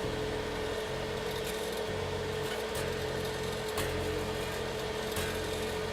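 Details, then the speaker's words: Unplugged vintage Fender P-Bass with a new replacement neck: fretted notes carry a bright rattling fret buzz, with no buzz on open strings, so string height is not the cause. Instead a high second fret and uneven frets lack proper fall-off on the bass side. "You can hear that buzz. Doesn't buzz open. So, it's not the uh string height."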